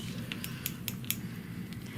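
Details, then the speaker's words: Clicking from convex-edge shears during a sharpening certification evaluation: a sharp light click each time the blades close, about a dozen in two seconds, as the tips knock together because of the bumper; shears otherwise cut hair well with almost no push. "Hear that clicking? That's because of the bumper."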